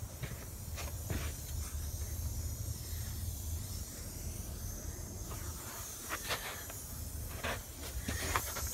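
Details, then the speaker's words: Car tire with a screw/bolt in the tread going flat on the drive home, bulging at the bottom: steady, high, airy hiss over low outdoor rumble; air leaking from the puncture. "Yep, it's going flat. Starting to bulge out on the bottom. I hear it"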